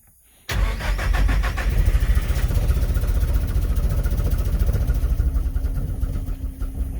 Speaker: yep definitely sounds like the timing itself okay so we have it running so the timing was really off i'm not sure why but i went ahead and adjusted the trigger angle